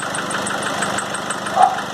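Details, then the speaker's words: Nissan Frontier 2.5 diesel at steady idle: sharp regular ticking, roughly six per second, over the diesel clatter; knock attributed to a burnt cylinder head gasket. "por isso a explosão fica jogando pulando em hop e ponha em causa nesse barulho vocês puderam acompanhar no início do vídeo nosso problema até a junta queimada"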